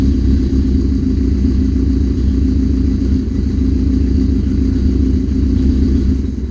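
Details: 1981 Suzuki GS650GL, first start after rebuild with new battery, plugs, oil, filter and pod filters, fuel petcock on primary, on choke: deep steady burbling idle, even rumble, no knocks or misses; a small carb fuel leak is suspected.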